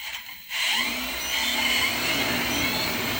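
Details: Cinestar multirotor setup 7 powering up for flight, motors started with left transmitter stick at bottom right: motors spool up together into a steady, even high-pitched whir with no roughness or stutter; normal motor run.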